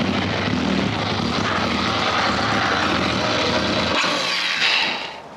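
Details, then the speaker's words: BMW K1200 R motorcycle that runs rough and cuts out, started after stored faults were cleared; all exhaust pipes hot; loud, ragged, uneven engine roar with no clean beat, fading near the end; rough running, cause still unknown. "All the exhaust pipes are hot, so doesn't sound too good."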